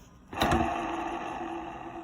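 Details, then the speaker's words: Midea washer-dryer exhaust fan motor in the drying duct spins up with clacks, then a rough droning whir; bearing failed, causing loud noise during spin and drying; fix is replacing the fan motor. "vendo estourou o rolamento Então na hora de centrifugar faz um barulho alto sua máquina na centrifugação na secagem começou a fazer barulho"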